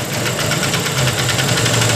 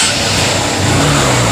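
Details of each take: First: Honda CB Shine engine, timing chain recently replaced, idling with the valve cover cap open: harsh metallic clatter of about three or four beats a second because oil is not reaching the top end; valve train noise from oil starvation. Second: Honda CB Shine after repair and reassembly, idling even and smooth with a steady rhythm, no tapping or rattle; now sounds like a normal, factory-fresh Shine.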